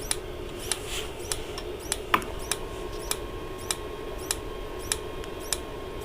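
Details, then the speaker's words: Dometic Americana RV fridge switched to gas (propane): sharp, evenly spaced igniter snaps about every 0.6 seconds with no whoosh of flame; sparking but the burner isn't lighting, cause unconfirmed. "you can hear it snapping it's obviously trying to start the gas right now"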